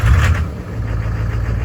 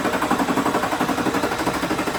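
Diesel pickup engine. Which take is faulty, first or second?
second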